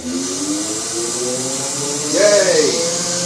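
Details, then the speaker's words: BMW E31 840Ci EV conversion, first bench run of the completed drivetrain. The automatic gearbox is in park after priming its pump, in fail-safe mode with no controller, so pressures are at maximum. A smooth electric whine bends and settles as load and pressure come on; running normally. "Alrighty. Now she's feeling the load, pressure's coming on. Man, that sounds good."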